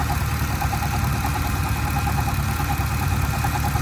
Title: 2010 Camaro SS knocking noise